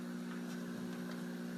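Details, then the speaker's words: Old heavy CRT TV, older than its owner, hums constantly: a steady, coarse electrical buzz at a fixed low pitch that never changes, judged not normal, source not identified. "so I did it but it constantly makes this buzzing noise which I hated this before do you hear that is that normal that is not normal this is making me"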